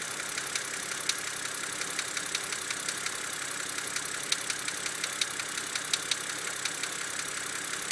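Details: BMW engine at idle, under warranty, BMW refuses to fix; owner suspects binding HVA lifter element: sharp, light ticks over a quiet idle, about one or two a second, unevenly spaced, from the top end; suspected valve train ticking, not confirmed.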